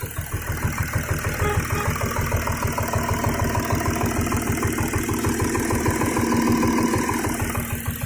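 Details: VW Touareg 3.0 TDI (CASA) diesel at idle after losing power on the highway with vibration around 2000 rpm: uneven pulsing knock about three beats per second, body vibration and rough running; cause unknown.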